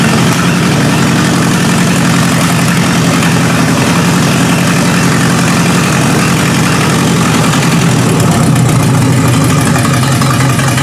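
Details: 1953 Hemi V8 with its old carburetor settles into a steady, even idle on a first start: deep low rumble, no misses or knocks; normal idle.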